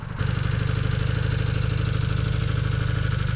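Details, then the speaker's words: Rebuilt Honda CB250 Super Dream barn find, two-up after climbing a steep hill, idling with a steady low even putter, no knocks or misses; sounds fine, though it hesitated and held back on the hill (fuel suspected). "Sounds alright. Yeah, it sounds fine. Sounds good."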